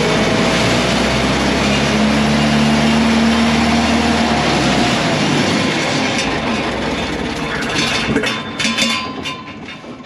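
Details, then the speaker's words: LeRoi four-cylinder gas crane engine (Bantam T35 on a 1945 GMC 6x6), sat 8+ years, just restarted: a loud, fast, steady roar held at wide-open throttle, unloaded, then easing off as the revs drop. Oil pressure came up; wide open is unwanted. "you take the throttle there I had the throttle wide open yeah you don't want that no we don't want that"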